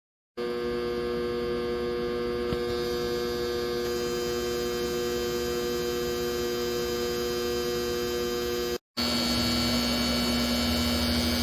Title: CO2 Laser humming noise fix